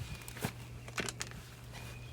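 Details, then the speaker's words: RV travel trailer jacked up, wheel turned by hand with no bearing slack: irregular sharp clicks and clunks from inside the hub, as brake parts (owner suspects brake pads) have come apart inside the drum. "But y'all hear that racket in there? I'm gonna have to take this one apart because it sounds like maybe the brake pads or something's. Hear that clicking and a clucking in there? The brake pads has done fell off or something"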